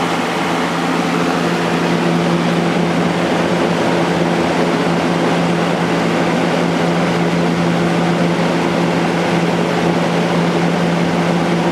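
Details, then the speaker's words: Vintage Kel Aire model 7000 box fan with a 3-speed Marco/McMillan motor, running on high before cleaning. A steady, even whoosh with a smooth low motor hum and no rattle or tick, moving a lot of air; it runs healthy. "moving a lot of air"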